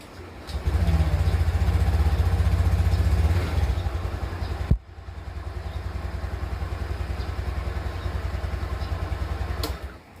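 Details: Honda Beat scooter with a newly fitted anti-theft alarm, disarmed: engine catches and settles into an even, steady idle with a quick regular pulse.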